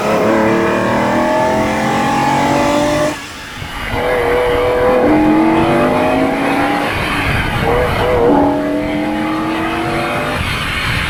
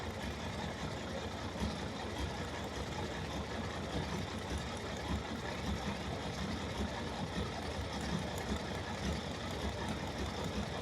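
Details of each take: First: Ferrari 365 GTB/4 Daytona Spider V12 road test after repair: a smooth engine note climbs cleanly through each gear with brief dips at the shifts, healthy under acceleration. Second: Ferrari 365 GTB/4 Daytona Spider V12 at idle: a deep, lumpy, irregular beat from cylinders misfiring; removing one plug lead makes no difference, confirming that cylinder is dead.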